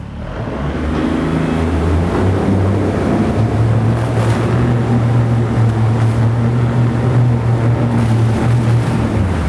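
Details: 2022 Mercury 25hp four-stroke outboard, 20-inch shaft, tiller, electric start, after impeller, plugs, oil and gear lube service, 85 psi on all three cylinders: steady even low drone, smooth firing beat, water splashing; healthy, running cleanly.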